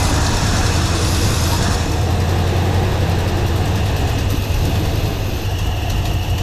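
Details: 1982 Ford F-150 with the 302 V8 and manual transmission, neglected fuel system and rusty tank: the carburetor idle screws were turned out four revolutions, giving a rough, uneven idle. The owner suspects the idle screws were mispositioned.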